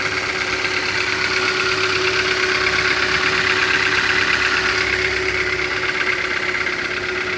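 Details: Hyundai Elantra 2012, 50,000 mileage, after refuelling at a filling station: steady idle with a fairly regular light tapping near three a second over a sharp hiss; engine knock at idle, cause unknown.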